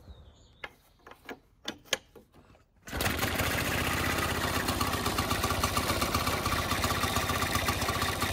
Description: This is a short video of my 1921 Atco Standard lawnmower, I explain a few of its features and then mow my grass, its almost 100 years old but runs perfectly and smell amazing running on Castro R vegetable oil at 16 to 1